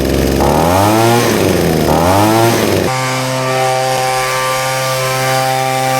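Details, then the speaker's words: Leaf blower, a two-stroke, after a carburetor change. A couple of quick revs, then a steady high-pitched drone holding speed; the earlier bogging down is gone. "That's better, you can hear the way the bogging down's gone now."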